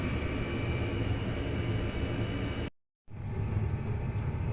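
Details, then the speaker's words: Diesel heater fuel dosing pump wrapped in fire blanket: ticking changed from high-pitched click to deeper muffled throbbing, about four pulses a second, under steady heater rumble; not completely gone. "wrapped the uh the pump in the fire blanket um the ticking noise hasn't completely gone it's just uh kind of changed its tone it's gone from that high pitched uh clicky noise to more of a deeper like a a throbbing a lower tone"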